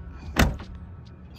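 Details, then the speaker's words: Toyota RAV4 power window after a window visor install: a sharp knock as the glass travels, then the motor hum drops in pitch. The glass is hitting a protruding seal, not the visor. "know what it is hitting it is hitting actually a little bit but it's not the two but it's not the visor that's hitting it's just a solid or um the sealed thing right here that's sticking out and hitting it"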